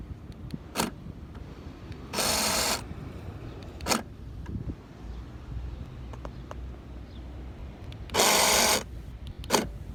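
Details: 2016 Honda Civic: each time the doors are locked, the fuel door lock actuator makes a harsh buzzing grind of about half a second, several seconds apart, as it strains. Abnormal actuator grinding noise.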